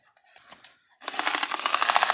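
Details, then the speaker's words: Bachmann U36B model diesel locomotive with pancake motor, before restoration: fast, harsh rattling clatter starts as the motor spins up with steady ticking throughout, cracked nylon drive gears. "And that's what we call the cracked nylon gears, ladies and gentlemen. That's the sound of cracked nylon gears, I should say."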